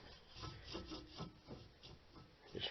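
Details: 2005 Ford Taurus SE 3.0L OHV, 174k miles: passenger front wheel bearing turned by hand gives dry, gritty, uneven rasping; worn bearing that hummed increasing with speed, replaced.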